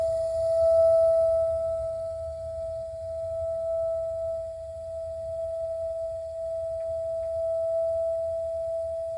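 A steady, pure whistle around the upper midrange holds without change, a singing noise from the heater; cause not evident.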